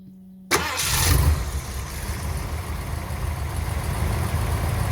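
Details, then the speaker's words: Ford Econoline E350 RV 5.7 L V8 warming up before oil, filter and plug service: catches and settles into steady even low rumble, idling better, no tick, no rattle, no misses; healthy idle. "you probably can't appreciate it from the video but this sounds absolutely beautiful there's not a tick not a rattle nothing"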